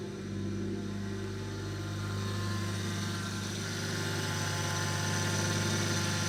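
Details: Toyota Aristo turbo engine after new 4-inch downpipe, recirculated wastegate dump and turbo/wastegate blankets fitted, valved exhaust; even smooth idle, steady low drone and faint whir, no misses or knocks; normal idle.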